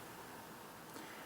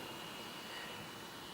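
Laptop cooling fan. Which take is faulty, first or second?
second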